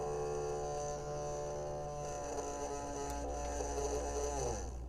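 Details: Custom cooling system pump just after a soldering repair, powered up before any water test: a steady low hum with a light buzz that shifts slightly after a few seconds; the pump starts and runs smoothly.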